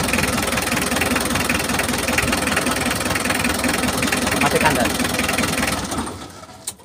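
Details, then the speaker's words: Mitsubishi L300 diesel revved with throttle: uneven, irregular stumbling beat about two to three pulses a second, sounding like a firing problem; owner reports poor fuel economy and low power, fuel filter already replaced without improvement; cause unconfirmed. "begini, teman-teman, suara mesinnya seperti mengalami masalah pengapian."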